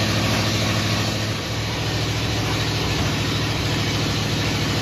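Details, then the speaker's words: 1950 Ford F1 flathead V8 just reinstalled, no exhaust or muffler fitted: loud, raw, steady idle with an even low chuffing beat and no misses on open exhaust ports; normal idle. "Lord, it needs a muffler."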